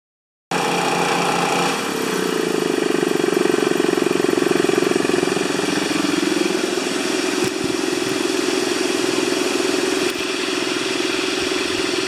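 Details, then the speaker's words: Honda GX160-powered wheelbarrow air compressor (customer suspected governor fault): engine catches within a pull, then settles into a steady, even run with the compressor pumping smoothly; normal start and idle. "After it starts up and pressurizes, it goes back to idle and it sits there and waits for you to use air and then kicks back on again and so forth. So, it should just fire right up here."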